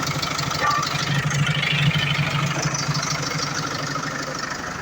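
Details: Iveco Eurocargo Tector diesel with a defective electro-injector causing rough idle and white smoke; here it settles into a steady idle with even firing pulses, no stumble or miss.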